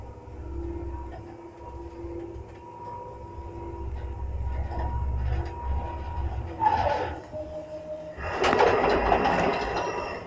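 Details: 1976 Samarkand-built lift, 320 kg, 0.71 m/s, AS-2-62 6/18 motor, recorded about three weeks to a month after the motor was repaired: low rumbling drive with loud surges of rough mechanical noise as the car pulls away; louder again after repair. Loud motor noise on acceleration.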